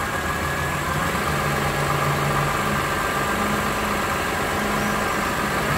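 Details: Lexus RX330 3MZ-FE, warm engine, revs raised to 1,000–3,000 rpm: faint regular low tapping under the hood over the hum; knock of unknown cause, piston knock suspected.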